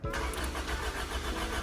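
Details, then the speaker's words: 2000 Honda Civic DX hatch with B18C1 GSR swap, not run for over a decade. Spark present but no injector pulse; only 7 volts at the EFI main relay input wire. Starter churns steadily but the engine never catches: crank, no start. "that wire is only getting 7 volts as well as you see here with ignition on it's only 7 volts and it's on that wire and we'll go ahead and check see if it starts"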